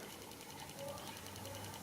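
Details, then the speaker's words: Tesla Chargers 2.5A12 EX pulse charger reviving a 7+ year-old 12 V Datsun starter battery drained to about 2 volts: quiet, rapid, even ticking as capacitor pulses discharge into the battery; working normally. "can hear that name clicking that's how fast the capacitor is discharging"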